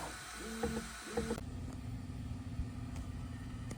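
Short, clean stepper tones during calibration moves, then a quiet steady hum with no grinding, so the axis is running smoothly.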